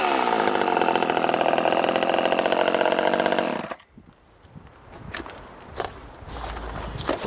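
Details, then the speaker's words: Poulan 1800 Wood Shark chainsaw after carburetor rebuild, hand-filed chain, cutting wood: crisp, even two-stroke buzz steady under cut, then drops off with chips and handling noise; runs healthy. "definitely ain't winning any races and you could probably see the chips coming off of that"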